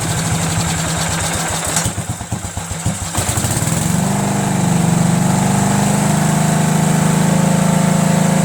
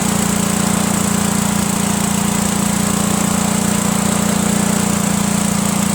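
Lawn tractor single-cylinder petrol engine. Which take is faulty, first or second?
first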